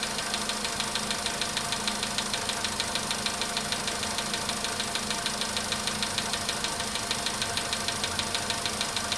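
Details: VW Polo sedan, cold start at idle: even metallic ticking of about three per second stays steady over the idle. The knock reportedly fades after about 4 minutes 40 seconds, near 55 degrees.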